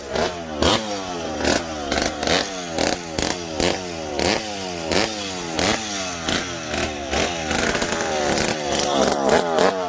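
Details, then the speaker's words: McCulloch PM700 two-stroke chainsaw, newly ported and running for the first time, still needing break-in. Repeated sharp throttle blips about every half second, each revving cleanly and dropping back. Normal crisp running. "so well there we go now we got to do is run it a little bit and break it in which that's always the fun part"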